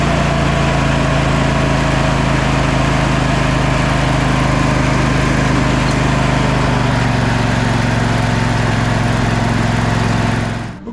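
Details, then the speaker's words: Sabre by John Deere lawn tractor after new starter and carburetor cleaning: small engine holds a fast, steady, busy note without settling, then cuts off; seems to be over-revving or not idling down enough, cause unconfirmed. "engine's running decently. Seems like it might be over-revving a little bit or not idling down enough, something."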